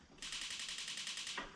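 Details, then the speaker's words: Ooni Fyra pizza oven converted from wood pellets to propane, AAA-battery igniter: quick sharp ticking about ten clicks per second for just over a second; igniter sparking properly. "It's clicking like crazy, so we got the spark."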